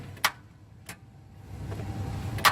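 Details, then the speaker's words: Ford Crown Victoria Police Interceptor: three sharp separate clicks about 0.5–1.5 s apart with no cranking. Starter clicks but the engine won't turn; a stuck starter is suspected, and the transmission fluid had also drained out. "I just got a call that the hick Vic is down clicks but it won't start"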